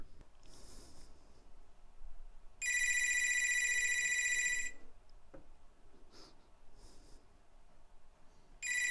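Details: Southwestern Bell telephone test-called through MagicJack before testing a 1965 Record-O-Fone answering machine. Electronic trilling ring for about two seconds, a pause, then it rings again; the ringer works properly.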